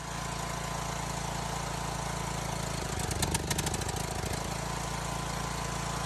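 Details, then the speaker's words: Briggs & Stratton engine on an L108 mower, installed about two years ago, with its fuel solenoid recently replaced; it is smoking. Idle chugs, speeds up and bogs around three seconds: surging. "but now the thing's starting to surge i'm not sure if it's the fuel bowl again you know the solenoid again or if it is something else because as you can see here it's smoking and surging"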